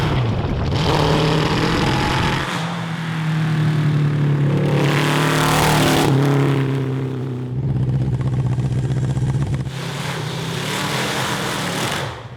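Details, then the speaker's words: Honda CB750 750cc cross kart engine with the stock carburetors and a DIY intake pod, after a spare jet and emulsion tube change: revs climb, then stumble and sag in surges at high throttle. Still breaking up; stock jets, emulsion tubes and idle jets go back next. "[Music] [Music] [Music] that obviously didn't work so we're going to take the carburetors back off our intake pod back off take the jets out and put the bone stock jets emulsion tubes and idle jets in the carburetors"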